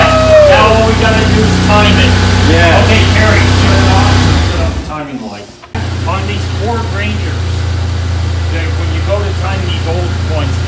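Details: Rebuilt 2.9L V6 in 1992 Ford Ranger, first run after install, distributor moved one tooth while timing: steady even low hum with no knocks or misses; normal idle.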